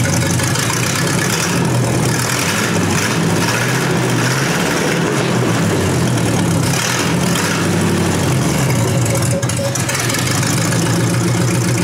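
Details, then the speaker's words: 1953 Hemi engine, carbureted, restarted after the dirty oil was pumped out and a clean line fitted: a steady, even idle with faint light ticking from the old mechanical fuel pump; runs smooth with oil pressure. "Pounds that idle. It'll be alright. It'll be alright. Yeah. Really good, I think."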